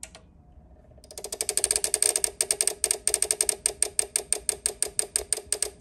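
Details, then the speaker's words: PTM-6150 six-channel car amplifier at power-up: fast, steady turn-on relay clicking, about three a second, from a short circuit; cause was a faulty capacitor on the turn-on relay board, and transistors were found burned. "here's a massive PTM 6150 six Channel amplifier it's got the uh turned on relay clicking and so the amplifier basically start going click click click click click because there's a short circuit and uh this is what it does I'll just show you"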